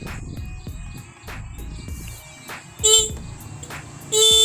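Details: Motorcycle horn that had not sounded for two months, after cleaning it and readjusting its setting: two short, bright honks with a clear, steady tone. The horn now sounds strong and works properly.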